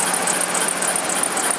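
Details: 1999 Dodge Durango 4WD idling after new water pump and both idler/tension pulleys: rapid high "cheep" chirps, about eight or nine a second; gone with serpentine belt off; caused by failing power steering pump.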